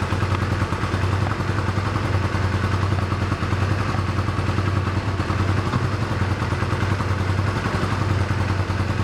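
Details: 1985 Honda Rebel with 2000 miles, first start after about 17 years stored, cold on choke, thumping idle stays uneven and lumpy and won't rev; rough running on choke, fuel delivery trouble likely.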